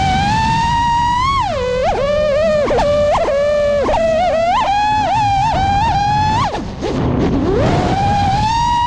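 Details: 5-inch quad with Xing 2207 2450kv motors, Spedix 30A BLHeli32 ESCs, Bardwell F4 v1, Betaflight 4.1 with RPM filtering, 5x4 props and 4S 1500: the motor tone wobbles and dips several times a second with sharp pitch swings. Constant microvibrations and oscillation, cause unclear.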